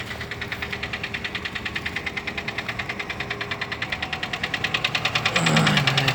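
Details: Daewoo Lanos with engine code AE: sharp, regular ticking about three per second over the engine, steady through the run; noisy hydraulic lifters.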